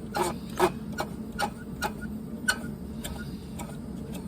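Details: Heater with fan, glow plug and combustion chamber, E9 error shown, owner believes glow plug was fried earlier; light uneven ticking about two per second over a soft running hum, not supposed to sound like that, likely fan motor fault.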